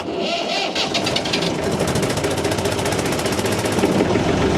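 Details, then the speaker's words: Perkins diesel engine, in neutral, started with a jump starter after a dead battery: quick crank, then it catches and settles into a steady, even chugging with no knocks or misses; a clean start. "Look at that, it can start a Perkins engine. Oh yes it can."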